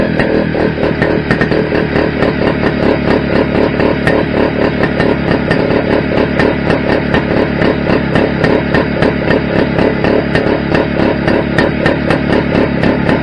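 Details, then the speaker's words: Restored Greeves two-stroke motorcycle at first start-up after project rebuild: crisp steady beat, even pace, no knocks or rattles; sounds all right, though owner thinks calibration may be off and feels slightly underpowered, maybe gearing. "Well, that sounded all right. Uh, yeah, calibration might be a little bit off."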